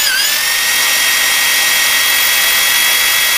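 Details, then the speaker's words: Freshly rebuilt engine oil-primed with a drill via distributor hole, now turning correct direction: steady high drill whine sagging slightly under load as pressure builds to about 50–65 psi; normal oil pump priming. "okay so here we go we'll gut it right now you can hear the the drill drag"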